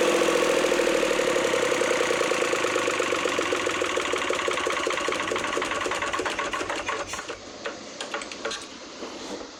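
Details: Lister ST3 diesel generator after restoration with new starter, regulator, air and fuel filters, fuel pump, and rebuilt generator head: steady rapid clatter and strong low drone holding constant rhythm; healthy running.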